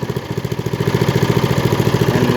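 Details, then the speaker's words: Craftsman LT1000 lawn tractor, 18hp Briggs & Stratton, freshly tuned up (oil, air filter, plug, fresh gas), throttle lowered; steady even low-pitched chugging, every beat equal, no misses or knocks: normal low-throttle running. "pick it up light switch blades reverse lay it's off lights are on purrs like a kitten you can bring it down a little bit"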